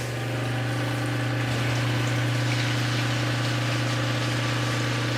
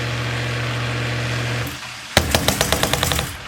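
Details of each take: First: Sump pump after fitting a new Zoeller Quiet Check Valve 1030-0242; steady low hum for about eight seconds, then a clean cutoff with no thump; normal, quiet pump cycle. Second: Sump pump with a roughly 10-year-old check valve, before replacement with a Zoeller Quiet Check Valve; steady pump drone cuts off, then a sharp bang and about eight fading knocks as the valve flutters shut; check valve flutter.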